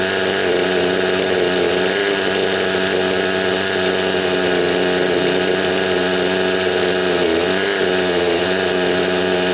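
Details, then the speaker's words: Raptor 30 gasser two-stroke engine during break-in, low-speed needle one turn out, very high idle: steady buzzing idle, now smoother after adjustment, though still rich, spitting oil from exhaust and four-stroking. "As you can hear, it's running a little bit smoother now. She's still during breakup. Break-in time, but that was just to let you know that was one turn out on the low set needle with a very high idle."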